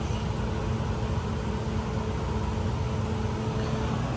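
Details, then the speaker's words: Refrigeration evaporator fan after clearing plugged drain line and cleaning dirty evaporator, condensing unit unplugged: steady strong rush of air, low fan hum, no rubbing or ticking; really good airflow, absent before cleaning. "Okay. Sounds good. Got really good airflow now. Really good airflow. Did not have that before."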